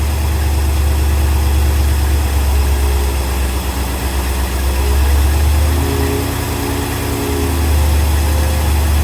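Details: Silverton 34C boat, newly installed GM marine HEI reverse-rotation distributor: the engine is warming up with base timing not yet set. The deep V8 idle rises and falls in pitch and loudness as the distributor is turned.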